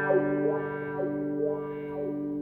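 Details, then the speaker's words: Dunlop Crybaby wah pedal after replacing a suspect capacitor (an earlier inductor swap didn't fix it) and cleaning the pot with contact cleaner: clean notes with a smooth vocal sweep, no crackle or dropout. Normal wah sweep. "sounds like the pot is set just right [Music] so we're fixed"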